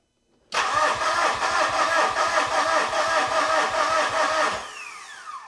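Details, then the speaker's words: Mitsubishi Fuso FG 4P10 diesel, return line pinched, cranking after injector servicing: steady starter cranking about two and a half turns a second for four seconds, never catching; no fuel pressure built, injectors 1 and 3 suspected bypassing fuel. "So, I can't actually see what's going on when I'm in the cab turning the key, but I could see that we didn't develop any fuel pressure."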